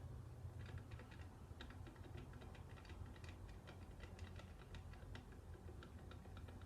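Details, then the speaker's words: Stihl 041 chainsaw, muffler off with a broken gasket and carbon: turned by hand with the piston not moving, quiet uneven light ticks; a bad bearing is suspected, not confirmed. "a stuffed bearing. I don't know if you can hear that. Piston's not moving, but I'm moving that."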